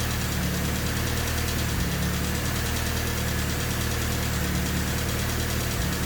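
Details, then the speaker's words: Honda Civic with swapped D16Y8 engine, after valve lash adjusted to spec, not fully warmed: steady idle with a fast, light clatter over the hum; ticking still loud, owner suspects the injectors, not confirmed. "Not really sure if it sounds that much different. I mean, it's still ticking quite loud. Could very well just be the injectors."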